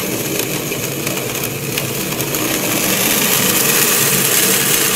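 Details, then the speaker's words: Centrifugal pump with transparent volute and suction pipe: dense crackling hiss like rocks through the pipe, growing louder, as suction pressure drops too low (valve throttled), water flashes to vapour and bubbles collapse; cavitation, cleared by reopening the valve. "sounds like rock literally like rocks going through the pipe again we caused this by dropping too low over pressure"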